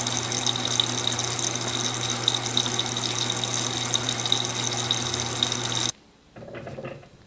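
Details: Electrolux Silent Control 12 kg (LAC12) washer on Normal program with Silent Cycle function, light-clothes load, low water level: steady rushing water with a low constant hum for six seconds, then an abrupt stop. Normal, quiet fill at wash start.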